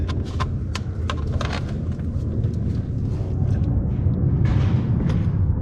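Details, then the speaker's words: Classic Mini Clubman Estate engine running: deep lumpy exhaust rumble with sharp puffing ticks, exhaust leak blowing at the rear of the system, located being prepared for Goodwood Revival. "so hmm where are you blowing from can hear you blowing you're definitely blowing at the back here"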